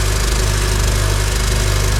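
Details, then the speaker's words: Honda CR-V running rough and stalling, check engine light Catalyst Bank 1: deep, heavy, uneven choked exhaust throb at idle, sounding like a blown exhaust gasket with raw fuel smell; exhaust suspected clogged by catalytic converter. "It sounds like your exhaust might be clogged."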